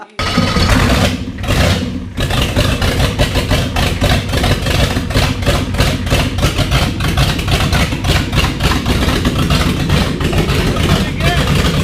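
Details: 1989 7.3 IDI non-turbo diesel first run after new batteries; cranks, catches, then loud lumpy uneven idle clatter that never smooths; rough running, air still suspected in the fuel system.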